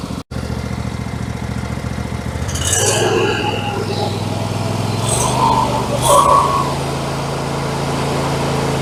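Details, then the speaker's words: MTD 21hp lawn tractor, Briggs & Stratton V-twin once said to be blown, now running with heavy exhaust oil smoke, owner suspects leaking valve cover: even, steady twin-cylinder putter with no knock or tap; internals sound healthy, normal running. "well engine internals sound fantastic uh I don't know if that oil smoke would go away"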